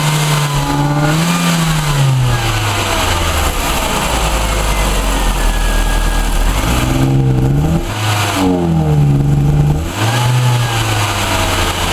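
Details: Ford Orion with Zetec petrol engine revving up and down, with a rough, uneven note from a misfire.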